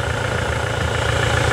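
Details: Toyota SW4 2017 with 2.8 1GD diesel, engine fitted after the original ingested water and dirt through the intake, idling with oil pressure over 4 bar: smooth, even idle with steady low rumble, no knocks or misses. Healthy engine.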